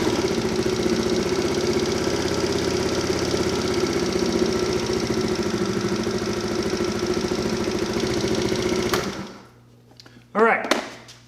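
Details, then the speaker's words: Tao Tao 50cc GY6 139QMB scooter, first startup, idle set on a tachometer to about 1750 rpm, within factory spec, auto choke pulling off as it warms: fast, steady single-cylinder putter until switched off. Normal idle. "I got my idle speed sitting around 1750 rpm just right in the factory specifications"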